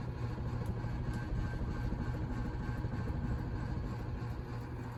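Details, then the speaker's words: Newer antique-brass Lasso/Sears Turn of the Century 4-speed ceiling fan with skeletal motor and Fasco bracket, at top speed 4: steady even low hum and soft airy rush, no ticking, rubbing or wobble; normal high-speed operation. "And I do really love these 4-speed fans too. And we'll bring up to speed 4."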